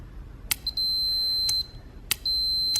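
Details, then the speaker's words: Automotive cooling fan relay actuated by hand: each sharp click is answered by a clean high beep lasting about half a second, showing the relay contacts closing and conducting normally. "turns our fan on so we could even actuate it by hand and you can hear the beeping"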